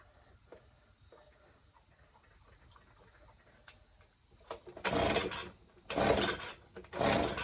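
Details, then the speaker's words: Ryobi two-stroke leaf blower on a freshly fitted spark plug gapped at 0.025 in: three short ragged bursts about a second apart that die straight off; it catches but bogs and won't hold revs, so the carburetor needs adjusting. "come on almost so it's bogging so I'm going to try adjusting the carburetor a little bit and then we'll see if it starts a bit better"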